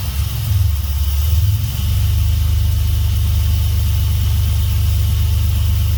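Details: Swapped Dodge 3.7 in a truck, first start after the engine was pulled and new crank and cam reluctor rings fixed a no-start. It fires, catches and settles into a steady, even low idle with no knocks or misses.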